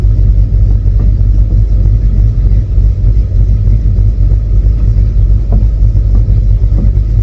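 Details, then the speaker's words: V8 with line lock: deep, lumpy rumble at a slow, slightly uneven idle that sits a bit low when hot; idle control needs adjusting. "This [Music] idle needs set up just a little when it's hot out. The idle L control needs adjust to what it needs."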